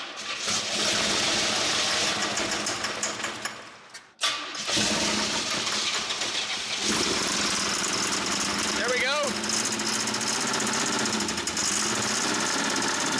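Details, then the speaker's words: 1988 Camaro IROC-Z, first start after 27 years stored, run on starting fluid: catches, stumbles and nearly stalls, then runs ragged with uneven knocking clatter, sometimes seeming to lock up; owner suspects rod knock. "man when it does fire though it sounds horrible it sounds rad knocky"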